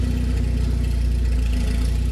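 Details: BMW E36 just after a cylinder head and timing chain install, with RPMs adjusted, no exhaust, no thermostat and running at high temperature. A steady, even low rumble with a smooth regular pulse and no knocks or misses: healthy idle.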